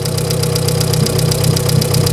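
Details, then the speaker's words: VW Polo EA111 1.6 on cold first start, microphone left by the engine: fast even light ticking over a steady idle, keeping pace with revs; hydraulic lifter tapping, with a suspected exhaust manifold leak. "parece ser do tucho, mas o motor também, ó, tá redondinho. Tá batendo o tucho."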